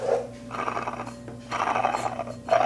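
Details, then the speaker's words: Removed water pump (plastic impeller) from a 997 Porsche 911 Turbo spun by hand: rough gravelly growl in bursts from a worn bearing; the pump was leaking, while the new pump spins completely silent. "you can hear like the bearing's bad cuz it should not be making that noise because here's the new one completely silent"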